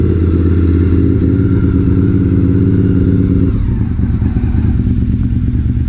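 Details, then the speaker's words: Honda RC51 V-twin started after rear-cylinder reassembly (threadsert fitted for the rear spark plug), run briefly without coolant after almost a year: lumpy idle at about 3.5 beats a second, firm even firing, slight popping; running fine. "i mean sounds good sounds like it's popping a little bit like of course it's been almost a year"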